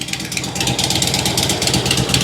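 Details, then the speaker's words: 2006 Harley Road King Twin Cam idling after cam tensioner and cam bearing replacement: flat puffy clap on each pulse, heard at the front as well. Suspected exhaust leak from the flat kit exhaust gaskets; possible front motor mount vibration. "It sounds to me like an exhaust leak. It's really kind of flat clap."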